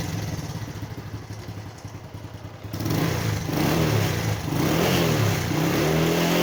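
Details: Small single-cylinder motorcycle after topping up its engine oil and warming up. Starts with a light tappety clatter, then revs smoothly with a quieter, even beat and no chain rattle, as oil reaches the automatic timing chain tensioner.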